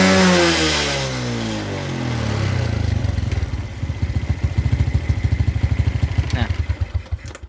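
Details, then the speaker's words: Suzuki Smash New carbureted motorcycle, very high fuel consumption, blackened spark plug, thick black smoke at full throttle; blips then drops to slow lumpy beat about three per second that sags, dull and soft; choke possibly stuck: rich mixture running. "BBM boros itu suaranya itu agak apa ya nggak bisa garing ya teman-teman dan posisi kita gas kenyang itu keluar asap sangat hitam sekali"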